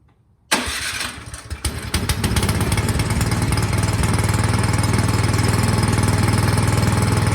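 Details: 24-inch Craftsman snowblower that wouldn't start after sitting all summer with gas in the tank, after carburetor cleaning and reassembly: electric starter whirs, engine catches within a second and settles to an even single-cylinder putter; normal start and idle.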